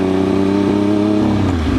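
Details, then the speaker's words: Triumph Daytona 955i sport bike with Power Commander, warmed up and riding at low road speed: steady drone breaks into slight sputter; bike lacks power, dies at idle, burbles and shoots flames; cause still being traced. "So this is the area this motorcycle hates this low speed stuff. You can really hear it just sputtering."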